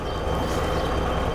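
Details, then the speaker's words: Old Dixie Narco soda machine with only the condenser fan hooked up, testing for a short: condenser fan gives smooth even low hum and steady airflow, no rattle or scrape. "so now we have the condenser fan and the evaporator fan working without a circuit blowing"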